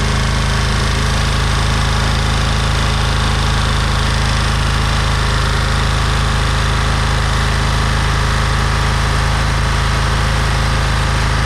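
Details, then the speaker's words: Oil-starved scrap engine restarted (tight spot when hand-spun, governor pulled): hard regular pounding about 200 per minute over rough running; oil boiling and sizzling, owner thinks both rods broke, zero compression afterward, nothing external. "Oh, we've got boiling oil. It's good for it. I think the both rods broke."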